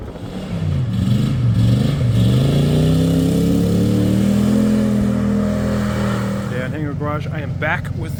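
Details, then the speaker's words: Roughly 50-year-old Chinook camper, last registered 2003 and sat about 20 years in a field, started with starting fluid and a jump box; engine revs up and settles to an even, steady note with no knocks or misses, running well. "But it needed a little bit of persuasion with the starting fluid and the jump box to get it started today, but as you can hear, it's running pretty good."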